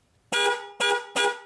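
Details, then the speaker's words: Chevy/GMC truck with 6.0L and inoperative horn, relay pin 87 powered directly by a fused jumper from battery positive; three strong, clear, full-toned honks with no rasp or dropout, horns and relay-to-horn circuit are good. "okay so now we know that our problem is not the horn okay so our horns are good"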